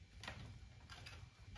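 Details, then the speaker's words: PNW Rainier Gen 3 dropper post, about a month old, after rattle fix (cable/ferrule reseated in actuator slot), saddle shaken by hand: only a few faint light ticks, much less noise, normal play; no rattle. "Wow, much, much less. Hardly noticeable. I mean, there's still a little play, but there's always going to be play in a dropper post."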